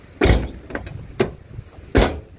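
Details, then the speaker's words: 2010 Isuzu Panther LS Turbo, black, first owner, about 50,000 km: the door shuts with three deep, short, solid thuds and no rattle or tinny ring, a tight original door closing. "masih jelap ya ya masih jelep ini suara ini Lur suara ini ya beng-bengnya itu"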